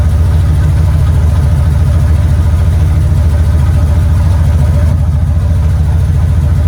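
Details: 1970 Impala V8 first start in 4 years, on a battery charger with vacuum lines plugged and the heater line pinched off: a deep, steady idle with an even rumble and no knocks or misses.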